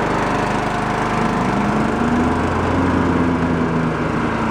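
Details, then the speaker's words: Cub Cadet hydrostatic tractor (believed Peerless, suspected bad trans) drives forward with a steady engine drone and a rising whine under load; the drive is smooth, so the transmission is good; the mower deck belt is suspected faulty. "so I have a feeling that belt was probably goofy but the trans is good and that's kind of the main issue that we're looking into"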